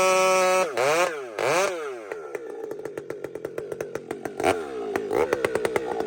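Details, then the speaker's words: Husqvarna 592XP chainsaw fitted with a pipe revs up clean, bites into the wood and pulls smoothly through the cut with no burbling, hesitation or blamp. Normal cutting, no four-stroking, well tuned. "So friends, you hear that instant, it dives in, just bang. There's no hesitation, no blamp."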